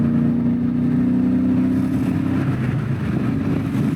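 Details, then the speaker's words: BMW E39 M5 daily driver on a track day at Sonoma Raceway, low on power in limp-home mode with a check engine light, no knock or ping, temperatures fine. Loud drone under load with an uneven, stumbling pulse; suspected misfire, not confirmed. "I have a check engine light, but I don't hear knocking, pinging. Temps are everything's fine the whole time. The BSC is still working correctly. So, at least we fixed one thing, created one problem for another. Sounds like it's misfiring."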